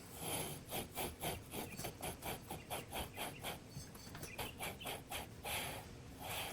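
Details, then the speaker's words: 168F 3.5 HP Chinese diesel during electric-start conversion: rhythmic gritty rasping, about two strokes a second, as valve grinding compound laps the flywheel onto its crankshaft taper; pitch changes and grinding lessens as it seats. "you'll hear the the pitch change a little bit I know that sounds weird but you'll hear it not grinding so much"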